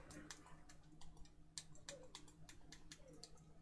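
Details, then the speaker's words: Xbox Elite Series 2 controller after repairing a botched prior repair, D-pad film/dome sticker refitted: crisp sharp click in all four directions sounding roughly the same, confirming the dome sticker is correctly located; normal. "yep, the click sounds roughly similar in all four directions, so we know that that dome sticker is correctly located."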